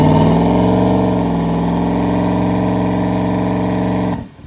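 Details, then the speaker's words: Ford Coyote V8 with 107mm turbo and newly fitted lockup torque converter on lockup transmission, after adding fuel for a lean condition: steady high drone under load, no turbo whistle building, then cuts off; turbo slow to spool, cause unconfirmed. "it was a little bit lean there so I added a little bit of fuel let's see if it uh spools up a little bit better now"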